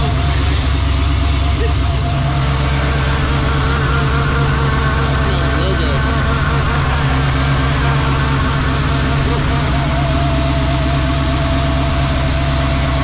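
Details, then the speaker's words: Camaro at idle in tour mode after swapping MSD wires for Taylor spark plug wires, following misfires at the track: deep, even low rumble with no stumbles or skips; no misfires. "So the car is currently in tour mode because it is 9:30 at night on a Sunday. No misfires, so that's a win."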